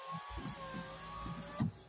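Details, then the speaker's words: Opel Cascada convertible, after the door rattle over bumps was fixed by tightening a screw: window motor whines steadily and smoothly, ending in a clean stop thump as the window goes down and up normally. "Y todo funciona correctamente. La ventanilla baja y sube sin problema."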